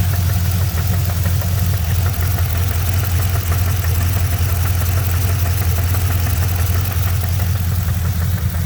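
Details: GM LS3 V8 at idle: steady rumble with a light, fairly regular tick about three a second; source not pinned down.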